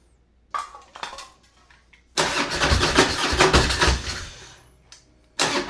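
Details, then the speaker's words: 2004 Harley-Davidson Road King, 88 ci Twin Cam V-twin, unused about 5–6 years, no primary fluid and derby cover open; a few short starter spins, then it catches and runs loud for about two seconds; cranks and starts fine. "I'm him. Two Crossy Road Kings started today."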